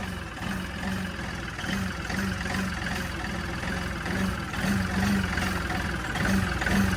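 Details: LS MT335 tractor common-rail diesel with the high-pressure fuel regulator (suction control valve) unplugged: the idle surges and hunts unevenly, rough and never settling, while the scan tool shows a very high, possibly inaccurate rail pressure reading.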